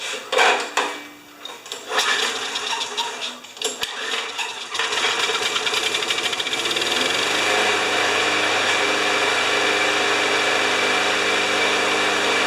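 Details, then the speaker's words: Spare mower with a Briggs & Stratton Quantum engine after the blade was sharpened and plug cleaned; after a rough start it settles into an even run at 3160 rpm without surging, normal governed running. "that's it so sharper blade clean plug uh that doesn't surge anymore although you can just hear it in the background but don't forget guys this is a spare lawnmower and it's revving at 3160."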